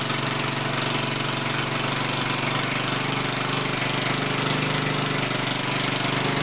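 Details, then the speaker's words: Black Murray small engine, second start on sprayed brake cleaner after a little gas was poured in, carburetor suspected: catches and runs with a quick, fairly steady putter about four beats a second; carburetor fuel delivery suspected. "I'm going to get it running no matter what with some brake cleaner. So this will be the second start."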